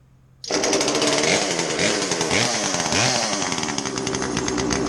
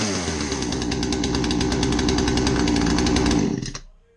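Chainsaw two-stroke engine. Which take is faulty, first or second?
first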